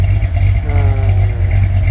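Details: 1968 Corvette 383 V8 on default program set for sea level, with crossover: deep idle with mild rhythmic cam lope, even firing, clean exhaust, no knock; healthy, needs dyno tune for altitude.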